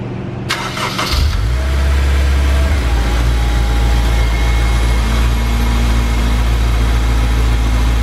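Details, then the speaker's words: After repair of a rattling tensioner: engine starts promptly and settles into a smooth, deep, even idle with no tensioner rattle or clatter, sounding healthy. "Sounds like a different car, doesn't it? Yeah. Borderline sounded like a fat motor when he came in. That was a lot of rattle from that tensioner. That sounds great."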